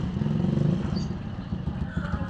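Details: Honda TMX155 motorcycle running after water was drained from the carburetor (it had spark but would not start after sitting): steady, even low putter at idle, now running normally.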